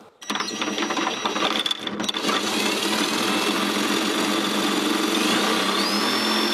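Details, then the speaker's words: Husqvarna YTH150 mower deck spindle bearings, regreased and spun without blades: steady high-pitched spin with a light, even rattle and no grinding. The bearings turn more freely than before, when they had rotation resistance. "Bon, j'ai l'impression qu'il tourne quand même plus facilement qu'avant."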